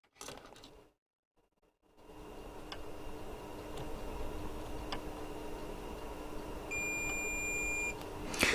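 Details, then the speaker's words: Bush DAC90A valve radio, set switched on, multimeter in continuity (beeper) mode checking mains wiring: live traced to its terminal; one clean steady high beep for about a second confirms a good connection. "So live, obviously it's going to that one. Let's just put that in beeper so you can hear it beeping."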